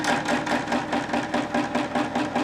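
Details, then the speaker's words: Homemade Bedini magnetic motor prototype spinning up: sharp, even clacks about four times a second, loud at first then calming; rotor plates not well balanced, electromagnet passing about 2.5 mm from them. "On l'entend au bruit, hein, que ça accélère doucement, mais ça y va. Un passage, ça claque fort, après ça se calme."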